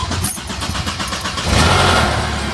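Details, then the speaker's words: Long crank, then a short metallic rattle right as it fires on cold start, fading into a smooth idle, on a Mercedes SLK 200; timing chain rattle before timing chain replacement. "It cranked for probably more times than it needs to, and once it started up it's fine, but yeah, you get that little rattle on startup, so it needs to be done."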